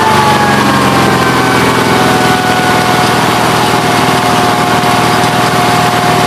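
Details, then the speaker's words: Onan B43 twin after new piston rings: steady, fast-firing warm idle with a slightly rough, breathy note; oil blowing back out the breather after about 11 minutes. Owner suspects a faulty breather or worn cylinders; crankcase blow-by not confirmed. "Well guys, it's not fixed. It just started blowing oil back up through there again at about 11 minutes."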